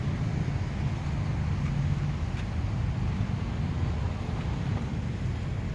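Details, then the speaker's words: 2013 Suzuki Swift 1.25 GLX automatic, 146,000 km, push-button start, idling: low, soft, steady hum with no knocks or ticks, faint wind; quiet, healthy normal idle. "นี้สตาร์ทเครื่องไว้อยู่นะเครื่องเงียบกิ๊บเลยครับ"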